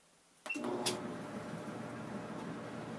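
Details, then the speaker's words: Maytag Neptune dryer after repair of steady rhythmic noise: one click at switch-on, then even steady tumble hum with no ticking; drum runs normally. "and as you can see there's no more noise so this is a relatively easy job"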